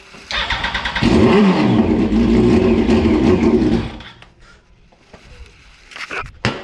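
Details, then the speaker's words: 2004 Yamaha R1 unstarted for over 10 years, on fresh fuel: it cranks, catches, runs rough for about three seconds, then dies; owner suspects it only ran on leftover ether, cause unknown. "Like, it runs. What the hell is going on? I think that was running off the ether still, surely."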